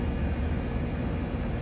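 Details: 2009 Trane condenser with a TXV, previously not cooling with a non-functional compressor, running after repair: even deep rushing drone, no knocks, rattles or squeals; normal operation.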